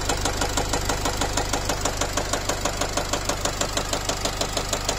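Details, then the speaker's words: Nissan X-Trail 2.0 dCi diesel, 250,000 km, warm at 80 °C with injector corrections rising to 2.5: sharp, even metallic knock about three times a second at idle, smelling of unburnt diesel, vanishing when revved; piston-like knock when warm. "Та-та-та. Такое впечатление, что поршень лупит."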